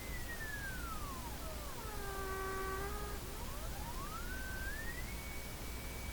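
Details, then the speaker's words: Hallicrafters SX-122 dual-conversion receiver on the bench for an alignment check, with a tube pulled to cut interference: a clear whistle sweeps down to silence and climbs back up as the dial turns, a heterodyne between a fixed and a tuned frequency; source unconfirmed. "So to me, that's a heterodyne between two frequencies, one fixed in place and one I'm moving. As I move the moving one closer to the one that's fixed in place, the tone goes down."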